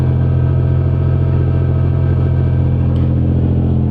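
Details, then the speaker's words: Infiniti G35 exhaust, U-clamp removed: deep steady drone with low fluttering rattle as the Y-pipe, where it merges into one pipe, hits the exhaust support frame; taken to a muffler shop to fix. "the issue here is the y-pipe it like sits right here almost in the middle as as it goes out into into one as a white pipe makes itself to one pipe it's actually hitting against the the w frame"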